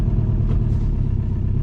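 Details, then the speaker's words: High-mileage ex-Amazon diesel delivery van, started after sitting for months and after fixing the ignition switch, runs with an uneven, lumpy diesel clatter and a brief rise; rough running, cause unknown, has many mechanical problems. "the van is running and it doesn't flick off it does not sound good whatsoever"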